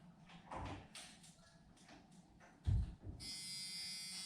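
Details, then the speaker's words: C10 truck with LS swap before first start, key on near the pumps, after earlier failure to prime: a couple of thumps, then a steady high-pitched electric buzz that holds; fuel pump priming normally. "So right there, get close to here. Let's see if we can hear if these pumps come on."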